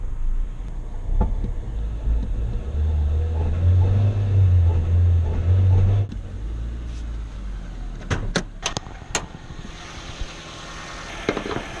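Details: 2006 Nissan Sentra 1.8L with no power: low, uneven idle rumble that wavers and shakes instead of holding steady; rough idle from a failing fuel pump, which was replaced.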